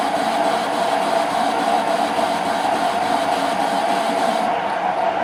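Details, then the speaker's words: Parting tool parting off unknown material, likely hydraulic rod, on a lathe; even, continuous mid-pitched cutting hiss with no breaks or chatter: clean, smooth normal parting cut. "But it's cutting quite smoothly."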